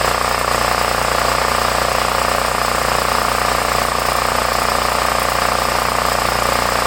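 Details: 8-year-old Homelite 5000 W generator, 389cc 13 hp (owner thinks Tecumseh), previously hard to start with a leaking carburetor, started with choke. It holds a constant, even drone with a steady high tone and no hunting or misses at governed speed; running smoothly, and no fuel leak found.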